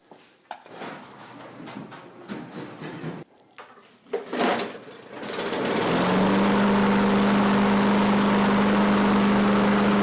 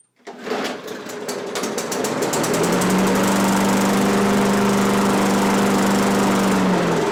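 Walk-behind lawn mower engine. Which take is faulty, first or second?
second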